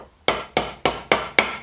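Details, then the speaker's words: Look Keo 2 Max pedal bearing rebuild, old grumbling bearings replaced: six even hammer taps about three a second, the last few ringing brighter and sharper as the new bearing bottoms out fully seated, a clearly changed sound. "that's it yeah completely different sound right so that's got twice as many bearings on it now"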